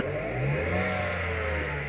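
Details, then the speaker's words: Dodge engine (Avenger/Journey/Chrysler 200): a wailing howl climbing and falling with revs over the motor note, like cats about to fight; the alternator, dusty and vibrating to the touch, is the likely source. "es bien evidente bien evidente el ruido a los conocedores y a los conocedores ya se dieron cuenta de algo"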